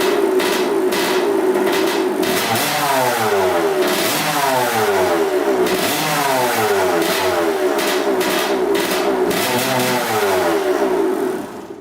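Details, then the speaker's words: 1986 Kawasaki KX125 two-stroke on 40:1 premix poured straight into a leaking carburetor, choke on, run briefly with no coolant: crisp blips rising and falling cleanly, picking up revs fast with no bogging. "That sounds good. That sounds really good. We're gonna have a ripper here pretty soon. All right, that's awesome. Sounded really, really good. Nice and crispy. Didn't bog out or anything."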